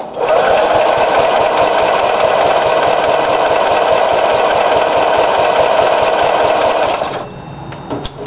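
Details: Briggs & Stratton engine, first run after new piston rings and gaskets: high, screaming, steady whine flat out for seconds then cuts off; overspeeding because the governor was adjusted wrong.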